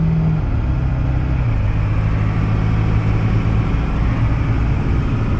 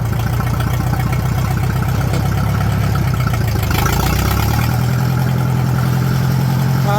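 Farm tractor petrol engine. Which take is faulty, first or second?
second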